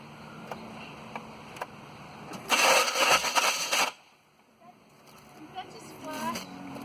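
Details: 1996 Pontiac Grand Am with a bad starter: harsh rough grinding burst of about a second and a half on cranking, as if the starter gear is grinding the flywheel teeth; engine fails to start.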